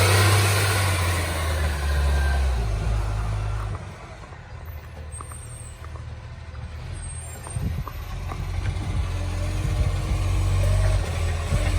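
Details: City of Joondalup green waste truck SL070: deep, heavy diesel roar that drops off, then swells back as it pulls away; massive exhaust leak.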